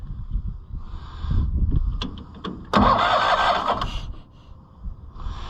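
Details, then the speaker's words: Cushman Truckster auction find, cranking in neutral: uneven starter cranking with a hissing, sucking puff on each stroke and no catch. The owner suspects a bad boot and is also cleaning the points; the cause is unconfirmed. "Let's see if we can make this crank again. Are we in neutral, I hope? Hear that sucking?"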